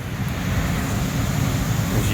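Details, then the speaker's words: Allied gas package unit on a no-heat call with a tripping high limit and neglected, clogged filters: a steady, even rush of air over a low rumble with no rattle, scrape or squeal; the blower itself runs normally. "As you can hear, blower sounds okay, but what do we do 90% of the time? Airflow, airflow, airflow."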